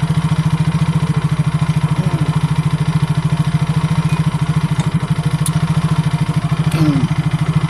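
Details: Yamaha Mio scooter that would not start from lost compression, damaged valve and carbon deposits, after repair and ignition switch jumpered: steady single-cylinder putter holding an even idle with no stumbling, running normally.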